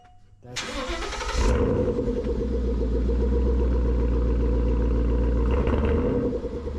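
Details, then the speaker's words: 2014 Mustang GT V8 after Borla cat-back exhaust install, checking for the earlier clanging: starter whirs, then a deep, steady idle burble with no metallic clang or rattle from the exhaust. "start I don't hear anything"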